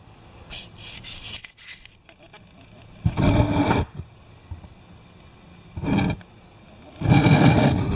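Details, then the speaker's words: MTD lawn tractor differential with the housing open, shafts turned by hand: short bursts of harsh grinding crunch each time a spot comes around; the gear teeth are worn and rounded off. "and when when this bolt comes around the front it makes a crunching sound right there do you hear that"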